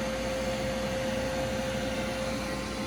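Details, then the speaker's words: Older gas furnace calling for heat: only the inducer motor's steady hum and thin whine, no burner whoosh; 3-blink pressure switch fault, the switch never closes. "nothing I'm getting three blinks already so I'll shut it down from the main power and we're gonna try to figure out what's the problem"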